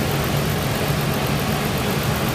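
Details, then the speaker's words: 1999 Ford Ranger, spark plugs replaced, misfires when a plug wire is reconnected and runs smoother with it off: loud uneven lumpy idle with shaking: rough idle. "all right it's running rough right now it's shaking you probably can't see"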